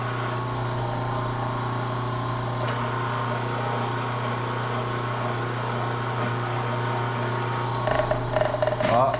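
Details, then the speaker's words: Copper wire stripping machine peeling insulation off wire. Steady motor hum, then a crunching noise as the blade bites; that crunch means it is peeling the insulation well. Stripping properly. "When you hear that crunchy noise, it's peeling it good."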